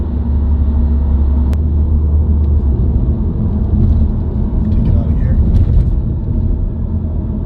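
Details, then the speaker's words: Subaru WRX driving, heard inside the cabin: steady low droning buzzing hum over road noise that rises in pitch with road speed, unchanged by gear, clutch or revs; dealer diagnosed a broken centre diff viscous coupler. "It'll speed up and get higher pitch as I go faster. Here, take a little listen."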